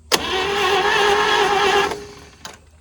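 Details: 1940s GMC 6x6 two-engine military truck, sitting 40 years, with spark confirmed and gas added: sharp catch, about two seconds of rough cranking fading out, another brief pop; fires occasionally but won't keep running.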